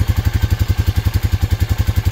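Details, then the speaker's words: 2004 Honda Rancher 400 4x4 ATV, about 2,500 hours, low idle during charging test: low even single-cylinder thump about seven beats a second, no stumbles; healthy idle, charging 14.5 V, charging system good. "so now if you turn the key off and look at your gauge we're dropping down as you go back down to the 1275 or so again see it it's going to take so that tells me that this battery is taking a charge and it tells me that the charging system is good"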